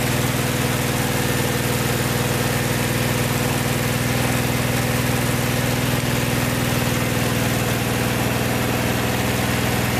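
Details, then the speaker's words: Vintage VW air-cooled flat-four from a 1956 Beetle barn find (not original engine), first run after 23–24 years stored, after carburetor work: steady even idle, regular beat about four a second, no knocks or rattles; healthy. "running good yeah so there you have it can't believe it fired right up after 24 years of sitting in a barn these Volkswagen engines are just bulletproof"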